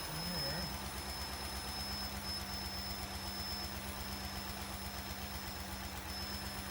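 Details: 1998 Cadillac Seville STS Northstar 4.6 V8, blown head gaskets, revived after hydrolock, just after oil change: steady idle wavering slightly with faint hiss from a vacuum leak, some clacking; much quieter, head gaskets still blown.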